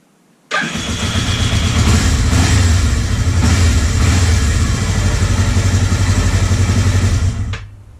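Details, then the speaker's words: 1979 Kawasaki Z250 twin, being revived after standing, with timing previously off and points readjusted: it cranks and catches with an uneven, lumpy beat, firing on only one cylinder at startup. Owner suspects carburetion. "Finally, it sounds good. I mean, it's consistently starting on one cylinder, which I think is carburation."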